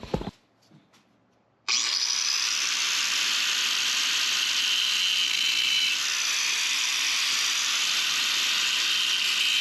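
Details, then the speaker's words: 1974 Volvo 164e revived after 20 years with modified brake parts: after a long steady hiss, a regular tapping of about two per second from the caliper contacting the rusty turning brake disc, which needs clearing. "okay you can hear they're tapping a little bit that's where we were talking about I'm going to have to clear it up"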